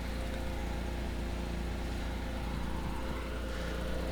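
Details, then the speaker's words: 1992 Mazda Autozam AZ-1 Turbo, Suzuki 660cc F6A turbo three-cylinder, mid-mounted: smooth even idle with light fast clicking from the injectors, likely stock; normal injector ticking. "The engine is a little bit clicky, but that's normal. That's the sound of the injectors that you're hearing right now."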